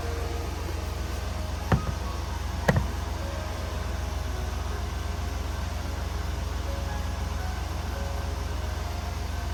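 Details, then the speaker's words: 1995 Oldsmobile Aurora after replacing a bad coil pack that caused a severe misfire: smooth, even low exhaust drone at idle with no stumble or vibration, and no blue smoke from the tailpipe. "She's running so smooth now. I really can't believe it. Yeah, it's hard to tell on camera, but it is really smooth now. There's no vibration."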